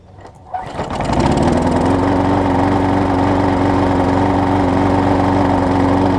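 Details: Husqvarna mower with transplanted engine, before carburetor replacement, given starter fluid to start: catches after brief crank and settles into steady, even hum without stumbling; running normally.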